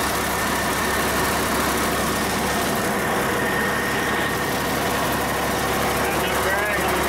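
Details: Cummins 8.3L diesel swapped into antique Hyster forklift, first run after installation, about 40 degrees in the shop; running on its own right after cold start with even steady clatter, no misses or knocks; normal cold idle.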